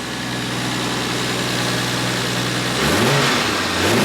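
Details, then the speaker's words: Toyota JZX100 turbo engine on a cold start after replacing the failed turbo manifold gasket, with bolts checked tight and a J-pipe fitted; gentle clean revs, no hiss or choo-choo chuffing from the manifold, sealed and healthy. "So as you guys can see, obviously no choo-choo train noises. Car sounds phenomenal."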